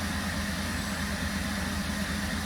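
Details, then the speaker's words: 2017 Holden Commodore SV6 LFX V6 after oil, oil filter and spark plug change, idling around 500 rpm: low, smooth, even hum with no ticks, misses or rattles; engine running healthy and quiet. "But look, the car's running beautifully. You can't even hear it."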